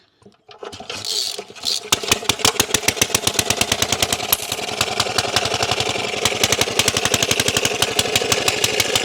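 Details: Briggs and Stratton Model FH small engine, after carburetor repair fixing a broken throttle shaft, mounted on its wooden skid, choked and cranked: catches after a brief crank, then settles into a steady, even putt-putt with crisp regular firing; runs clean and healthy.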